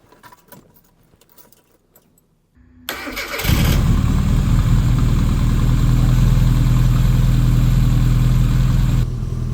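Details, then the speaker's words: 1992 Classic Mini Cooper with 1.3L injection engine, after the key was cycled several times to run the fuel pump and purge air from the fuel lines: quiet key clicks, then the engine catches and settles into a steady, even idle with no misses. "That sounds more like it. There it is, it starts."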